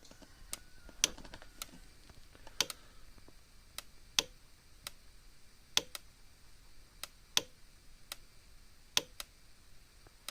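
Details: Cyclops Master fence charger (0.5 A left fuse, 2 A fence fuse): sharp dry clicks roughly every second and a half over a quiet room; pulsing steadily as it should.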